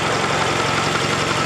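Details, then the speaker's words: Car engine idling, mic close to engine, after a tapping appeared on a drive with oil found at bottom mark: fast, even light top-end ticking in time with the engine; owner suspects collapsed lifter or damaged valve from poor oiling. "it's just a nice steady pulse just what it should be so something got damaged somewhere it could be a collapsed lifter could be a damaged valve maybe or i don't know"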